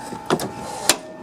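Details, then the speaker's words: Craftsman LT4000 riding mower steering linkage: two sharp isolated pops about half a second apart when the wheel is turned right, the steering gears popping; it rolls along fine otherwise. "now the steering linkage you can see when i'm see when i'm turning it to the right you can hear it pop"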